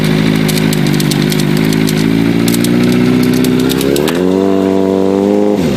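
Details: Katana at idle: irregular light metallic ticking and rattle, then a brief rev; source of the rattle unclear.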